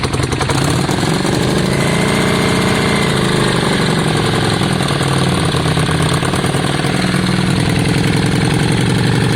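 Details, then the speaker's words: Yamaha Virago V-twin idling right after a brand-new spark plug replaced the old one: even, regular beat with no misses while warming up; it sounds better, now normal idle. "we'll just see if it makes a difference guys brand new spot plug oh that sounds better john"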